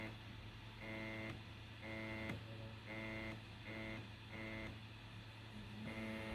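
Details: PS5 while playing Assassin's Creed Valhalla: buzzy drone switching on and off about every half second over the fan hum, likely the white side panels vibrating against the fan; stopped by pushing the panels upward at the corners.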